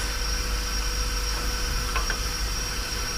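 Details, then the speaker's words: 30ft powder tanker being unloaded with the compressor running: a steady airy hiss under the truck noise as air leaks past the discharge valve seal when it shouldn't; air leak at discharge valve. "you can hear the air is leaking out of that one as well when it shouldn't be"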